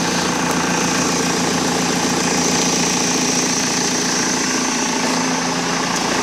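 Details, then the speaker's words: Cheap BMW diesel on jumper pack, previously noisy inline pre-supply pump: fired straight up with no long cranking, steady even diesel clatter at one speed, no misses or hunting, pump noise gone; normal idle. "It literally just fired straight up, no hesitation, no long cranking whatsoever."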